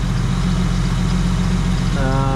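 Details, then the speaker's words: Holden VY V6, stone cold and unstarted that day, just fitted with new Bosch plugs after 9 years: steady, low, even idle rising smoothly near the end with no stumble; clean cold start, a slightly squeaky pulley noted. "Now you've got to believe me, I haven't started this car. This is like stone cold. Hasn't run at all today. So let's see. That sounds pretty good, eh?"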